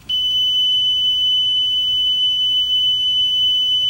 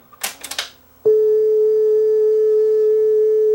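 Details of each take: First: Yamaha K520 cassette deck after speed adjustment, during flutter test; clean, steady high tone with no waver: stable tape speed, no flutter. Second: Yamaha K520 cassette deck playing a speed test tape: the tone wavers unevenly in pitch and runs slow. The wrong, too-thin eBay replacement drive belt makes the tape speed flutter badly.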